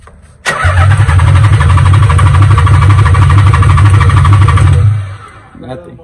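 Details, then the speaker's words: Nissan 300ZX Z32, sat for years: starter spins engine at a steady even churn about four seconds without catching, even with starting fluid sprayed into intake pipe; fuel pump not kicking on, suspected no spark, possibly loose ignition connection. "oh yeah i know that but it should have started with that so we probably have a no spark he doesn't have no fuel because the pump's not kicking off"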